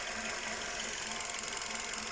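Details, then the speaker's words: Hyundai Solaris engine after chain replacement and adjustment, previously knocking: quiet, even idle with light, fast, regular injector ticking and no knock underneath; normal idle. "подрегулировали сейчас идем смотреть короче вообще 1 но как видим никаких шумов"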